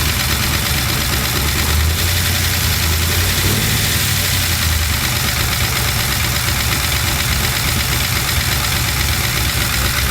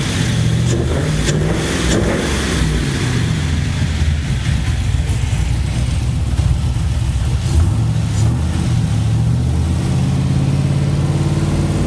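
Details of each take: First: LS-swapped Chevy C10 with new lifters and reinstalled head gaskets and heads: steady idle with fast light ticking following engine speed; valve train tap persists, code reader shows timing advanced, owner suspects cam was installed mistimed. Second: LS-swapped Chevy C10 after new lifters were installed and head gaskets and heads reinstalled to fix loud tapping: smooth deep V8 rumble climbing cleanly with revs, no tapping, oil pressure about 50; normal running.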